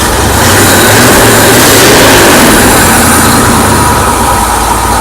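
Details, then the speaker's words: Ford Bronco: loud, rough thrum held at raised revs with no steady idle beneath it; after idling about 45 seconds the engine slows, gets choppy and dies unless revved. Oil pressure is fine and the cause is unknown. "just after idling for like 45 seconds it'll start to slow down it'll get choppy and eventually it'll die"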